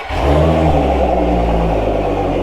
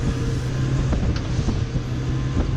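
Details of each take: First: Outboard on a flush attachment at fast idle, just under 20 percent leak-down, adapter plate holed: a slight uneven stutter in its beat, said to pop under back pressure in water; misfire from heavily carboned, leaking valves. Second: Outboard boat engine after carbon cleaning, leak-down under 20 percent, JB Weld repair, running under load on water at 6300 rpm wide open throttle: deep, even drone, no misses or knocking; normal running.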